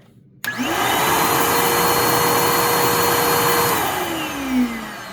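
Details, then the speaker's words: Bissell PowerClean OnePass 35831 vacuum; the motor sounded choked until the bin was removed, then spins up quickly to a clean, steady high whine and holds it without wobble, then winds down smoothly; the motor is healthy. "hey that sounds really good actually yeah there we go so it actually sounds fine pretty much"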